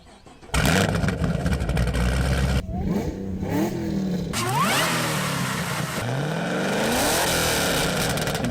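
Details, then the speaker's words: Auction supercharged Camaro ZL1 sold with a "bad clutch", heavily modified with cam, reworked heads, ported blower, bigger injectors, big crank pulley, auxiliary cooler, claimed 715 wheel hp: deep choppy idle breaking into clean sharp revs, healthy, not stock-sounding. "it turns out there's a lot like that massive crank pulley and this auxiliary cooler in the front grill here and just take a listen to the engine it sure doesn't sound stock"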